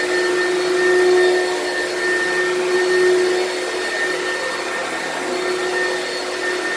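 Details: Used lightweight Oreck upright from Facebook Marketplace: a steady roar with a thin, wavering high whine on top. Owner hears a weird noise of unknown source, possibly the brushroll or the fan.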